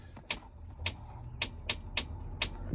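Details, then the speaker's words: Race car at startup near idle: light regular clicks about twice a second from the transmission as the solenoid kicks in; it tries to grab but won't move in reverse; transmission suspected fried, not confirmed. "The solenoid's kicking in. This thing won't back up for nothing. You can feel it grab."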